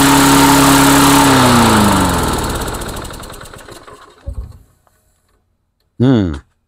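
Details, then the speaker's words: Engine on Mastercraft 3-in-1 mower, after bending idle plate toward governor: howls at high steady pitch, winds down and stops, another short start burst; overspeed, owner suspects governor linkages sticking open. "H definitely racing a little bit out of control there I think the governor is just sticking a little let me try to adjust these linkages and see if that makes a difference"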